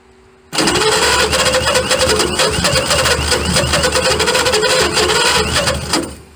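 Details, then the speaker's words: 1928 Franklin, first start after 71 years off the road, hot-wired with makeshift plug wires. Catches and runs roughly for about five seconds, firing unevenly with harsh knocking pulses; timing set too far advanced. "gonna retard it more. Yeah, it's still advanced too close. I can't retard it no more."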